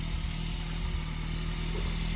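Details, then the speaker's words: MK2 VW Golf 1.6 Driver, first firing after long storage with new battery, new pump and ignition module: steady, low, even idle with light tappety tick, blamed on sitting a long time; otherwise running fine. "She's only running. Call me an engine whisperer. Nah, just call me a double and we'll have done with it. That don't sound too bad, do it? A little bit tappety, but then it's been sat a long time."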